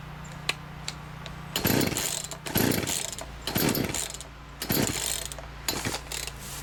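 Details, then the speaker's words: Free chainsaw, fresh fuel poured in, switch on, choke flipped, primer untested: about one rough pull a second, each a short rasping burst that fades; it seems to try but never catches, won't start, cause not yet found. "like it was trying there for a second nope doesn't want to start so now we got to figure out what's going on"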